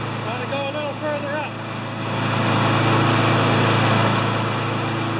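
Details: Honda GCV160 mower that ran either flat out near 6,000 rpm or at 2,000 rpm, after bending the governor arm: it climbs to a high, steady, even drone and holds at about 3,590–3,610 rpm by tach, though the uploader thinks max should be 3,100–3,200.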